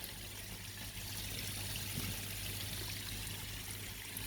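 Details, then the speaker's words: DIY bakki shower pond filter of three 51-litre boxes after loading five bags (75 kg) of Alfagrog media: soft, steady trickle and patter with no splashing roar; much quieter now the media is in. "all right here we go markers that's much quieter now now it's got the media in"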